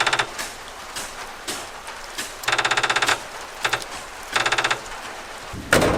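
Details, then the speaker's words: Old Ford truck sitting about 14 years, fresh battery, key on, engine not running: fast clicking in short bursts with pauses; possibly a pump clicking, cause not confirmed. "That noise we are hearing might be a clickety-clackety pump."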